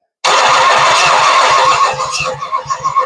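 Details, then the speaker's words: Ford 460 V8 sitting about 30–40 years: starter churns it evenly at about four beats a second but it never fires; no spark because rodents chewed the ignition wiring. "Got nothing. Man, let me double check. Make sure connections. >> Yeah. >> Well, our little furry friends have chewed wires up."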